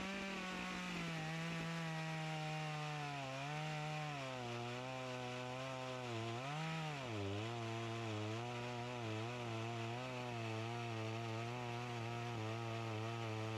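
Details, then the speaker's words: Echo CS-352 chainsaw that starts then dies, cutting at the wood pile; pitch sags and hunts under cut instead of holding speed; fuel starvation bog, fuel line suspected of sucking air so carburetor screw adjustment won't cure it. "if that fuel line is sucking even it doesn't matter how much you adjust these screws it's not going to run properly"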